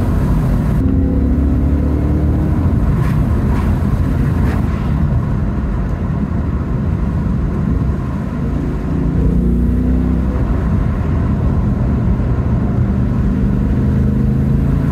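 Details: 2016 Ford Mustang GT 5.0 V8 manual on a open road: deep, even V8 rumble climbing and falling smoothly with the revs, no misses or knocks; healthy engine pulling.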